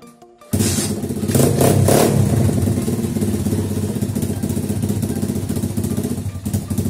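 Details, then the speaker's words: Pitbike single-cylinder engine after carburetor cleaning and idle mixture screw adjustment: steady, even idle beat with no stumble or hunting; mixture is set well, and fine-tuning is aimed at the highest idle speed. "So, wie man hört, klingt ganz gut so."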